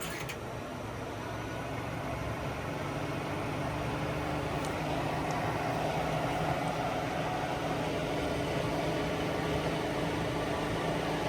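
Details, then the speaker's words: 1955 Willys Jeep CJ-5 heater blower after adding a ballast resistor to stop the switch overheating: steady airy rush swelling as the fan steps from low back to high, even and rattle-free; blower runs fine. "And it's still actually spinning pretty quickly and pushing a lot of air, but it sounds so much better."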